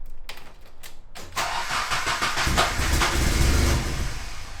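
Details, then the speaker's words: After white smoke seen at the rear and ABS not working: a few slow cranking thumps, then a rough uneven burst that never settles into a clean idle; cranks but won't properly start. "let's try crank it let's see it sounds like trash bro"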